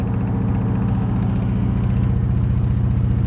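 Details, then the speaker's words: 1965 Buick LeSabre V8, first run since 1989, carb jets clogged and a vacuum leak found, running lean and shuddery: quick, even rattle on every firing pulse over a low idle. Owner wonders about engine balance or fuel delivery; cause not confirmed. "it's kind of shuttery let's pop it through the carburetor he's running kind of lean look at the engine rattling"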